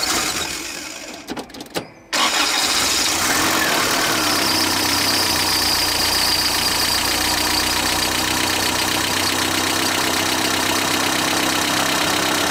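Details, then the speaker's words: 1977 Toyota pickup, rebuilt engine whose rocker arm assembly was not replaced: after the starter catches, fast metallic tapping about four per second over idle, worn rocker arms clattering in the top end. "so what you're listening for is kind of like a metallic sound a bit of a clanking going on or a heavy tapping"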